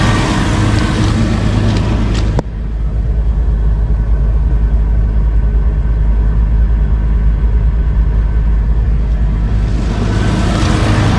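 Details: 2005 Jeep Wrangler Unlimited LJ rebuilt stroker, first start after replacing failed oil pump drive unit and fitting a high-volume oil pump: catches cleanly into a steady, even low idle, no knocking or ticking over exhaust rumble; good oil pressure.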